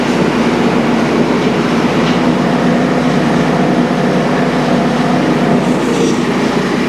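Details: Early-edition DR all-terrain brush mower that came back because its blades would not engage, after repair with new bearings and an idler pulley instead of a new clutch. It runs at a steady, even roar with no grinding or knocking from the blade drive: normal running.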